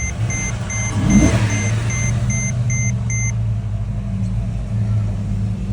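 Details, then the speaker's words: 2007 Mercedes GL450 V8 after fixing cylinder eight misfire (bad ECU replaced, then a not-fully-connected injector connector reconnected): steady even idle, smooth low hum, no stumble or miss, chime in background; healthy. "We're looking good. And it feels good."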